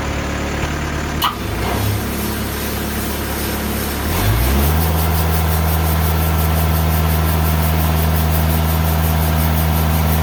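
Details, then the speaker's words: Old rusty band saw blade with a missing tooth, very slow cut through three inches of very hard American beech: engine holds a steady loaded drone with rapid even beat, about four a second; sounded horrible, expected to blow but survived. "well folks i am like shocked literally shocked i thought i was gonna have a blade blow up that sounded again absolutely horrible i'm doing a really really slow cut"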